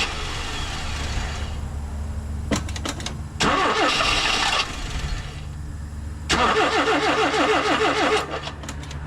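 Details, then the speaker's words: 1987 Mazda B2200 five-speed on a cold start after three throttle pumps to set the electric choke: several cranking bursts where it catches briefly and stumbles without settling into idle; the cold-start problem persists and the cause is unconfirmed. "yeah so maybe we still have a little problem with the cold start kind of did this for me yesterday"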